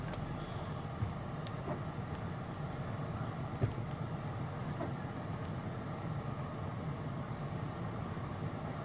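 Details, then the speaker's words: 2008 Lexus LS460 after replacing upper control arm assembly (aftermarket) for chronic underbody noise: steady low road rumble with only faint isolated taps, no repeating clunk over bumps; suspension now quiet. "지금 제 소리가 안나요 이제 주의 할 때 보자구요"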